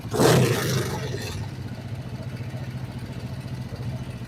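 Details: Kawasaki Vulcan 500 twin during carburettor synchronisation after valve adjustment: short throttle blip, then low even thumping idle holding steady without hunting; balanced, normal idle.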